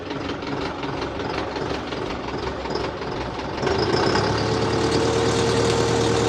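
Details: Tractor diesel idling after the tractor rolled over, engine oil light off, being checked before driving back: regular clatter at steady idle, revs rise slightly and hold evenly, no misfire or heavy knock; normal idle.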